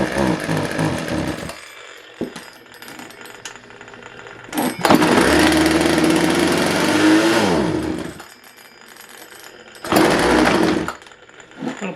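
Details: Craftsman 42cc two-stroke chainsaw, untried used saw in a very cold shop: short bursts of high buzzy revving that fade between pulls; catches but won't keep running, needs carburetor tuning. Cause suspected, not confirmed.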